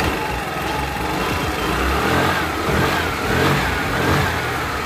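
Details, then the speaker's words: Scooter after CVT repair of noise from inside the clutch, belt reseated and cover refitted: steady, even engine with smooth drive hum, no rattle or scraping from belt side; abnormal noise gone. "amigos, así confirmamos los sonidos anormales de nuestra motoneta. Y como podemos ver y escuchar, más bien dicho, ya no se escucha como antes."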